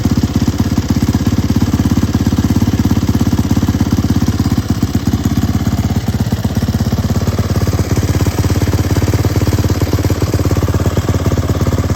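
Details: Turbocharged YZ450F single on E85, 1160 cc injector, very short downpipe: loud, even, rapid thumping with deep exhaust note at steady idle; running well.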